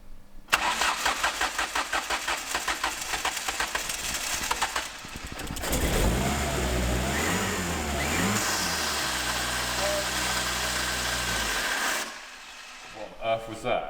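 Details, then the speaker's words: Mk2 Ford Fiesta sleeper, first start after downpipe and screamer pipe install, never pre-run for oil: harsh whirring swoops up and down into rough idle; suspected dry turbo catching, or starter motor stuck engaged; harsh noise on start-up. "Turbo catching on something. Yeah, that sounded horrific. Horrific. Dry turbo."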